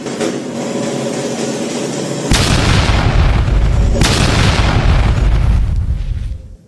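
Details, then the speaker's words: Lakoni air compressor used about 3 years: motor hums, then sharp bangs and loud crackling arcing with sparks; replacing the capacitor did not stop the sparks, so fault lies beyond the capacitor. "Tapi setelah diganti, percikan masih muncul. Berarti bukan cuma kapasitornya. Jangan dipaksa nyala, bisa makin parah."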